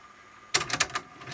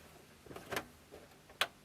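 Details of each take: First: Sharp CD-JX20X boombox with Tanashin TN1800 logic-controlled tape mechs, in play mode: quiet hiss, then a quick cluster of sharp mechanical clicks and clunks as the head swivels; deck auto-reverses direction normally. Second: Sharp CD-JX20X boombox CD section: a few sharp, uneven clicks from the disc mechanism over a quiet room; it reads the disc's table of contents almost instantly but doesn't start playing at first.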